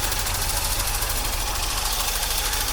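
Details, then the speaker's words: 1982 Corvette C3 after fuel system overhaul, cold and warming up, possibly still on old gas: loud lumpy idle with uneven pulse and knocking edge; runs rough, cause unconfirmed. "It sure doesn't run too well, but what can be expected?"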